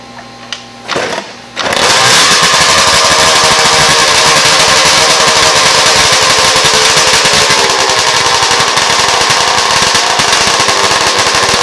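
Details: Yamaha RD400 land-speed two-stroke after fitting restrictor pills in petcock-to-carb fuel lines to stop float bowl overfilling off the main jet: after a few cranking bursts catches into crisp, rapid crackle holding steady; runs clean.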